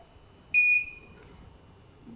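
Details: UPS under repair and test, with 230 V AC output confirmed: a single short, high, clear beep over a quiet background as the UPS starts on battery backup, showing the inverter is working normally.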